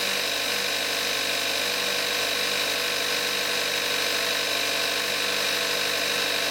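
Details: 2014 Kia Forte5 2.0 GDI, 41,000 miles, synthetic Amsoil 5W-30, cold start in May 2017, recorded on the camcorder's built-in mic: fast, light, even injector and pump ticking over a steady idle hum; healthy.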